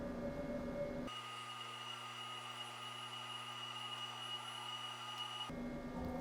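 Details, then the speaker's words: DIY CNC mill converted to DMM AC servo motors, Y-axis homing test under LinuxCNC: clean, steady electronic whine with a soft low hum, no grinding or knocking; servo operating normally. "Y-axis. That was a simple test, and more problems could arise down the line, but it looks like everything's operating as it should."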